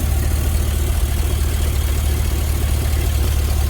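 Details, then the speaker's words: GMC with a 6.0 V8, warming up after sitting ice cold: a deep idle with a loose rattle about three times a second from inside the throttle body. It is suspected to come from the throttle blade constantly adjusting to hold idle. "I want you to listen to this it almost sounds like a fan hitting something but it's not that's in the throttle body itself"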